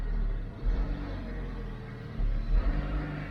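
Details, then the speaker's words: 2012 Dodge Avenger in limp mode, not exceeding 2,000 rpm, check engine and lightning bolt lights on, throttle body suspected: bad miss, with idle swelling up and dropping back with no pedal input; surging idle. "so we got a bad Miss right now and we got a flash give a minute and engine lights on when I pulled it into the garage it it ran for a few minutes then started acting up"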